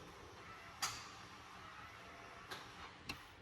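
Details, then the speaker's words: Holden Rodeo/Colorado with manual 4WD wiring that bypasses the TCCM, in a quiet cab: two sharp, separate clicks about a second apart as the transfer case actuator shifts normally out of four-wheel drive. "And now that's done. So you had the first click and then the second click. And that's out."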